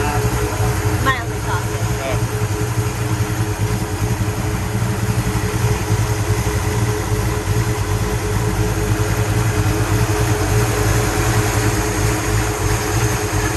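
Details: 1966 Pontiac GTO convertible V8 after repair of white smoke from water getting into a cylinder: steady, deep, even idle with no stumble, sputter or misfire; runs normally, slight blue smoke put down to exhaust contamination, not oil burning.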